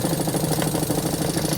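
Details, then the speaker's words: Newly installed caravan/camper fresh water pump at very low flow: quick uneven buzzing pulses, cycling on and off because bypass is set slightly high; fix is backing bypass off slightly anticlockwise. "It's a very low flow. That's what I need to do to the new pump installed so that it's not cycling, cutting in and out. Just need to back that bypass off a touch."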